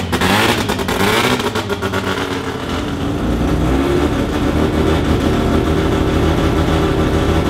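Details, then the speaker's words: Mazda 13B turbo rotary with a studded semi-peripheral port, built from an FD RX-7 engine, at first start in an automatic car with no exhaust fitted, untuned, coolant around 40°C: throttle blip, then a loud, choppy brapping idle typical of port overlap. "the semi peepees don't sound that much different to a bridgeport no well it's it's a it's just overlap"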